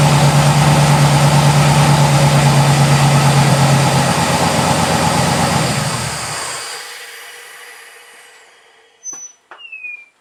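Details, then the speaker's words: Mazda RX-7 after refitting a missing vacuum-line plug at the intake-manifold density sensor that had caused 2,000 rpm idle on startup: steady, even low burble at easy idle, no hunting or surging, then shuts off. Normal idle restored. "Alright, so the motor's back to running right. I was back down."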